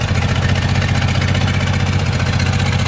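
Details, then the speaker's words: Six-cylinder engine idling, exhaust visible: lumpy uneven thumping at about three beats a second, engine jumping and bouncing; sounds like it isn't firing on all six, cause not confirmed. "sure doesn't sound like it's running in all six"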